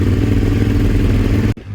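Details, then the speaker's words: Suzuki SV650 twin started with clutch pulled in, no choke: fires straight away into a deep, even rumble with steady beat and no misses or knocks; starts and idles cleanly. "oh yeah look at that straight away oh with no choke amazing"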